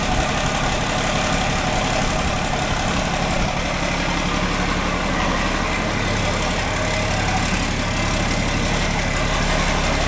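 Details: John Deere 4640 tractor diesel, started after sitting a while and after a new radiator was installed, gives an even clatter at a steady idle with no misfire, knock or hunting while warming up; healthy idle.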